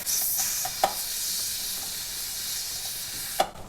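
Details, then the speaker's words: Pressure canner with jiggling weight, quart jars of beans, at end of 10-minute venting before weight goes on: steady loud steam hiss, no sputter or surging, a couple of light metallic clicks; normal venting. "We have now vented for the full 10 minutes, and now it is time to put my weight on. Steam is very hot, so we want to always be sure to use a hot pad."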